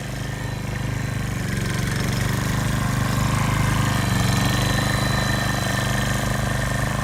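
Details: Repaired older hybrid RCLM mower, gas engine at full power forward: steady low drone pulls down a little as load comes on, then holds evenly; normal, the repaired hybrid system, previously unable to sustain power and with faulty electric start, is sustaining it.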